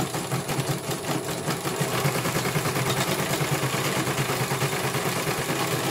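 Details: CNY computerized embroidery machine back on test after a service for a motor (dinamo) that had been silent and would not turn. Even, fast needle chatter at roughly three stitches a second over a smooth motor. It completes one color and is judged very good.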